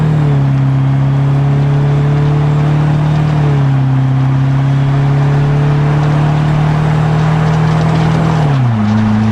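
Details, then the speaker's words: Detroit Silver Series 4-53T turbo diesel running under load after the 5-inch resonator was replaced with two 24-inch, 4-inch resonators: smooth low tone that dips and rises with load, with the former 1600–2000 rpm drone gone and a barely audible exhaust note. "It's perfect now. The noise is gone, or the drone is gone. But it's so quiet now, you can't even hear the exhaust note."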